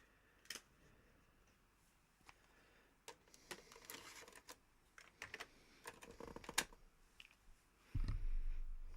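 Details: Amiga A500 external floppy drive loading a known-good disc after two failed pirated backup discs: scattered seek clicks and ticks, then a steady low whir as the disk spins up and loads; drive reading normally.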